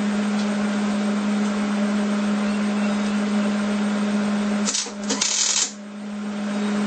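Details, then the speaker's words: Hobart Handler 210 MIG welder tack-welding horseshoes (not mild steel) for coat racks: steady buzz under uneven crackling arc with a brief break, sputtery because the gas line wasn't purged; welds not porous, heat slightly high. "It's kind of sputtery. I didn't purge. Forgot to do that."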